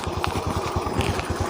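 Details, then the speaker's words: Honda Beat/Vario scooter that smoked white and used oil, after valve work with compression back to normal, kick-started: even, steady putt-putt with no misses or knock and no smoke; normal idle. "Dan motornya juga di sini teman-teman sudah bisa langsam. Ini sudah tidak mati ya, dan kompresinya sudah normal, jadi motornya ini sudah normal kembali,"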